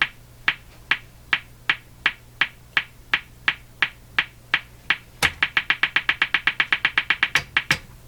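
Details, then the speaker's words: Hammarlund HQ-180 receiver on the bench, popping appears when the antenna is switched and the antenna tuner changes it: sharp dry pops about three a second, speeding to about six a second over hiss. Motorboating; owner suspects the AVC system, not confirmed. "oh there it is pop and the antenna tuner have an effect on this"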